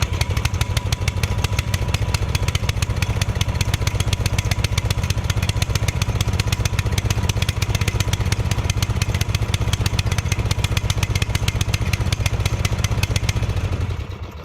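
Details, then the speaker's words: Murray ride-on mower single-cylinder, sat 1–2 years, new starter fitted, first start: uneven lumpy hunting pounding; choke stuck on and hard to push, throttle stuck wide open, governor sticking. "Okay, so the choke was flipped on, and it's very hard to push for some reason. So that's why it was running real bad."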